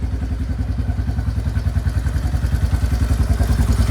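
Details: Yamaha Kodiak 400 4x4 ATV (1990s, owner guesses 1995), original carb, revived after sitting years with carb clean, new fuel lines and inline filter: even single-cylinder idle thump about three and a half pulses a second, no knocks or misses; normal idle.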